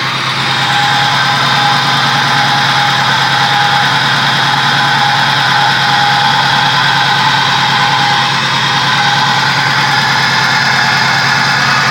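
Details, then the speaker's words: Pontiac 3800 V6 with a P0171 system-lean bank 1 code and misfire codes, run briefly: a steady, slightly uneven idle rumble with a faint hiss. An upper or lower intake vacuum leak is suspected rather than a head gasket. "this is a code kind of point in the direction of an intake problem over a head gasket and then there's more misfires"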